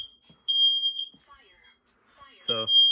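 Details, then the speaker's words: Fire alarm system test on a Fire-Lite MS-9200UDLS panel: the kitchen smoke alarm gives a shrill, steady high tone that holds, stops, then returns, as these alarms keep sounding about 20 seconds after the panel reset; normal behaviour. "so because of the nature of these smoke alarms they go off for around another 20 seconds after they shut"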